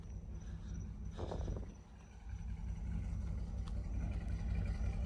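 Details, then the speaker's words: 2005 Chevy Silverado 2500 with 6.0 V8, parked for an unknown time: low, lumpy idle with an uneven stumble every few firings, a steady misfire. It runs rich and the check engine light flashes; a possible exhaust leak or manifold tick, doesn't sound like lifters. "oh yeah, she's definitely missing."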